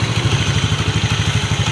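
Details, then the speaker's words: Yamaha Mio scooter after repairing a slipping electric starter that wasn't engaging: quick regular pulses, about seven a second, as the starter spins the engine over cleanly and it starts at once, with no grinding or slipping. "Ini udah jadi sangat mudah sekali nih teman-teman kita starter lagi kita coba ya Nah langsung jadi nih teman-teman"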